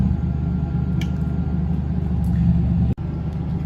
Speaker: Now to start the generator, what you would do is hold down the stop/prime switch for about 10 to 20 seconds. And then hold down the start button until the light turns solid and you hear the generator power